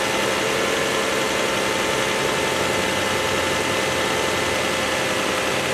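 Even, steady idle hum at a constant speed, no knocks, ticks or hunting heard; petrol engine idling normally.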